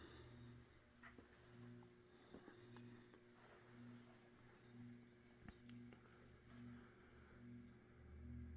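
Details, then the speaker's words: Mid-to-late-1980s Saff Enterprise Flush Polo 52-inch 3-speed reversible hugger ceiling fan: low steady motor hum with a gentle warble about once a second and harmonics when spun up, no scraping or clicking; normal, low speed a bit fast. "so low speed is a bit fast of course being a hugger fan it does have an audible hum to it and the motor does make some harmonics as well as you probably heard when it's spun up to speed here"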